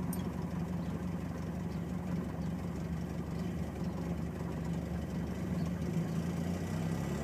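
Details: Car with Spica mechanical injection pump, catching after several start attempts and settling into a low, uneven, lumpy idle that runs poorly until revs rise; battery light stays on while rough, cause unclear.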